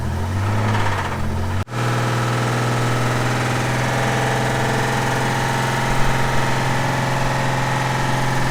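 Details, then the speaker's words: Old Ford six-cylinder restarted after being killed by sand and water ingestion: steady, labouring idle with a faint, fast knock and one sharp stumble; a badly sand-damaged engine near failure. "No way. This thing fired back up again. Man. It's got a nice knock to it now."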